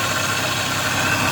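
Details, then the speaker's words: Overheating vehicle, cooling system filled with water only, idling while warming up: even steady whoosh of radiator fan, no rattle or scrape; fan blowing well, not the problem. Overheating later traced to clogged radiator and bad cap. "It's blowing good. Okay, so the fan is working perfect. Yeah. So the fan is not a problem."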